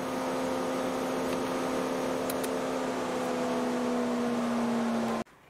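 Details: 2008 Mercedes W204 C180 Kompressor: cooling fan starts seconds after start-up and runs constantly on high, a loud steady whirring roar over idle; fault code B10 7A15 and high refrigerant pressure reading point to a faulty refrigerant pressure sensor, being replaced.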